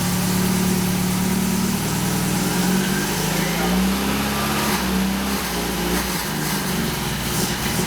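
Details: Saab Sonett V4 running with the valve covers off and the throttle opened slowly; timing had been found firing 15–20° after TDC. A fast idle with loud, open valvetrain clatter and small throttle blips, firing steadily without misses, smoking and spraying oil. Normal running.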